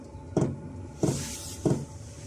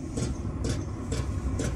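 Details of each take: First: Chinese diesel heater on its highest H2 setting, fuel metering pump fitted inside a waterproof box to quieten it: steady soft ticks about 97 a minute over a quiet hum, no tinny rattle, possibly about half as loud as before. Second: Chinese 12 V 5 kW diesel heater, fuel pump mounted on the case: sharp ticks about twice a second over a low running hum, the pump vibrating loudly through the case; noisy pump ticking.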